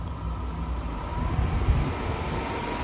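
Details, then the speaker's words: Hyundai Sonata radiator cooling fan, unplugged from its control module and powered directly with test leads: steady even low whir, no rubbing or ticking; fan works, so the fault is power from the control module. "The fan is now spinning. So, that means the fan is totally working."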